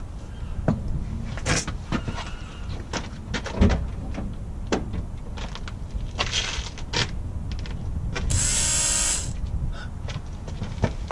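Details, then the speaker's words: Mercedes-Benz 230E W123, newly fitted fuel pump at key-on after battery reconnected; steady electric buzz for about a second amid clicks, pump priming properly where it never buzzed before. "you hear that motor buzzing noise is never made a buzzing noise before fantastic but my friends is progress"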